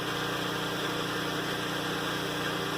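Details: Flotec shallow well jet pump, newly installed and run from a generator: a steady, even hum with constant tone and no rattles or surging while it builds pressure. The new fittings are holding, so this is normal running.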